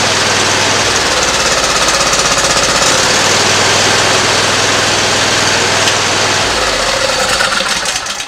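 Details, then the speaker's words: Simplicity ZT2500 mower, Briggs & Stratton 724cc 24HP, replay of the before-repair sound: harsh uneven chatter about four beats a second. Cylinder misfire from a bad ignition coil. "sound of that you can tell how the ancient sound changes there but that was the issue we had a bad coil on it"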